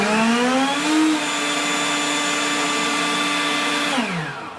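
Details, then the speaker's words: Hyper Tough electric leaf blower that had been starting and stopping, restarted after 5–7 minutes of use with two new batteries fitted: whine climbs to a steady pitch, holds without cutting out, winds down smoothly; running normally. "Still appears I have no problem, but we are good to go."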